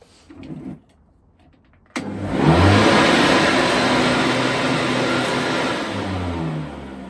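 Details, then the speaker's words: Flymo Hover Vac 250 lawnmower test-run after repair of the fault: motor kicks in sharply, spins up and settles to a steady, even hum with no rattles or labouring; running normally. "Shikojmë nëse punon apo jo, po unë besoj se do punoj, se defekti atje ishte."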